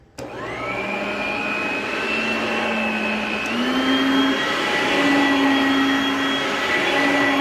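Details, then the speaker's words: Oreck XL Platinum upright vacuum, Goodwill find, spare belt apparently used; steady motor roar with a high, thin squeal stepping up in pitch from the belt, motor sounds good, bad brush roll, needs a tune-up. "That belt definitely squeals, but the motor sounds really good. But this thing definitely needs a tune-up, because that belt is very squealy, and there is no belt here."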